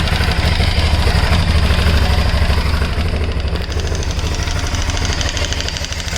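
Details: 2008 Aprilia Shiver 750 at idle: loud, choppy rattle of about three beats a second over the exhaust thump; mechanical engine rattle, source not pinned down.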